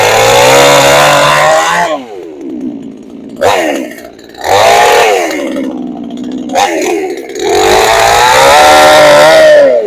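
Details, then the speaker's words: Pinkway 63cc 20-inch chainsaw warm start without choke, starting on one pull: the two-stroke catches and revs up and down cleanly, dropping back to a steady idle between blips. Normal warm start and run. "When it's warm, it cranks up every time off one pull, you guys. So like I said, it's pretty reliable when it comes to cranking."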